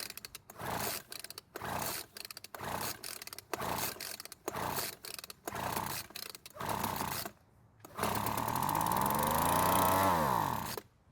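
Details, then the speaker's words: Weed Eater leaf blower that won't start after long storage, compression good, fuel poured into spark plug hole: about eight rope pulls, then fires, revs three seconds and dies; runs only on primed fuel, fuel delivery/carburetor fault. "so the engine started and ran for a few seconds which is great news that means that the engine is in working condition and we can now move on to the carburetor and the fuel system"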